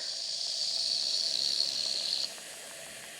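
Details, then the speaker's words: Wilesco D455 stationary steam engine, warm boiler: whistle opened early gives thin airy hiss about two seconds instead of shrill note; weak whistle from not enough boiler pressure yet. "Yeah, not quite enough pressure yet, but obviously it's getting there."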